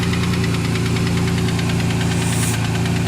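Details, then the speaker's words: 1992 Ford Ranger, 3.0 V6, five-speed, 2WD, recently bought: light ticking knock over a steady low idle; owner suspects a wrist pin or lifter, possibly from the oil used, plus a possible vacuum leak; engine ticking at idle, unconfirmed. "that knocking noise that would probably i i believe it's a wrist pin or a lifter i'm not sure which but i'm gonna have to replace it"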